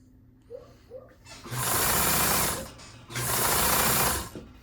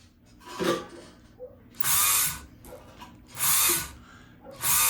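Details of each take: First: Kenmore 158.523 sewing machine motor after repair, checked for over-tightness; two short bursts at speed, even smooth hum with no knocking or grinding; normal running. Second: Kenmore 158.523 sewing machine: the motor whirs up in short bursts on the pedal but the mechanism does not turn, because the pulley is slipping on the motor shaft from a loose set screw; the stop-motion clutch was already tightened.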